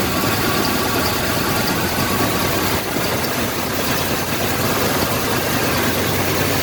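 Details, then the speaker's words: 1986 Chevrolet K5 Blazer V8, new long block replacing blown-head-gasket engine, oil primed, timing set, first start: steady smooth low-rumble idle with no knocks, ticks or misses; normal idle. "we're gonna start it up it started it I have the timing set everything's good to go start it up see how smooth it is"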